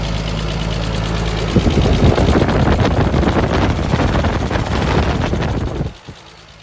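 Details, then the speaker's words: Turbo-converted Nissan R33 RB25 after new head gasket and head studs, warm after first drive with a flat spot; quick, even tapping near four per second over the idle, owner suspects a lifter, unconfirmed. "it does sound a bit knocky in the head now so maybe your lifter has [ __ ] itself don't know"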